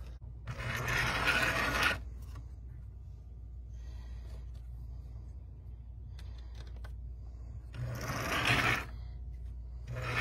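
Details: 1935 Mi-Loco K5 Pacific O-scale outside-third-rail locomotive, open-frame motor, manual reverse, rusty and dusty barn find: two short bursts of whirring gear buzz with dead gaps between; motor cuts in and out because worn insulation is shorting.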